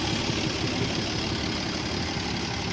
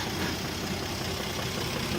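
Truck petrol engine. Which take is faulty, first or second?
first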